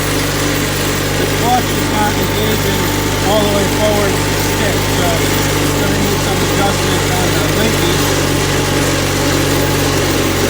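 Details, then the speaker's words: Onan CCKA twin in a Gravely 450 rider, first run after reassembly, light load: steady, even drone, no knocks or misses, runs smooth; governor sluggish, throttle cable suspected. "Well, it's working. Onan sounds good."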